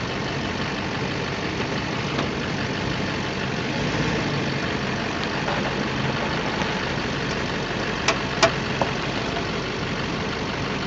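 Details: 2008 Chevrolet Silverado 2500 Duramax diesel at idle; a few sharp pops close together while steering, caused by the four loose engine crossmember bolts. Cured by removing them, cleaning and oiling the threads, and torquing to spec.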